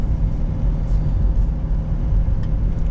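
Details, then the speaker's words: Fiat Ulysse 2 driving after turbo replacement, temperature up to 73°: even, low rumble with no knocks, whistles or rattles, no more smoke; engine runs well. "Ouais, il roule bien. Il roule bien. Ah, pas un problème, rien."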